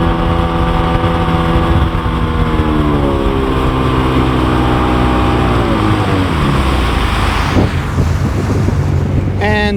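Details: Sea-Doo GTX Di watercraft engine pulling cleanly on the water, pitch easing and rising with throttle, after a teardown for suspected front PTO bearing noise (failing fuel pump gives the same symptom); normal running under load.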